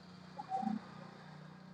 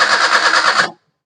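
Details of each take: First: Maruti Suzuki Alto that had cut out while driving and would crank but not start: after a short quiet spell it catches at once, revs cleanly and eases back with no stumbling or misfire; normal start. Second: Maruti Suzuki Alto that died while driving, cranking with brief even starter churn and steady pulsing rhythm but not catching; battery and starter motor fine, engine turns correctly. Cranks but will not start.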